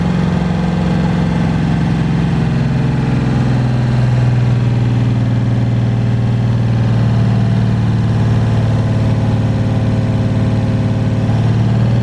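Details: 1982 Chevy G20 van, 350 small block with a new cam, heads, intake, carb and headers, after the cam break-in: revs come down from a blip into a lumpy but even loping idle with some snap; a healthy cammed small block.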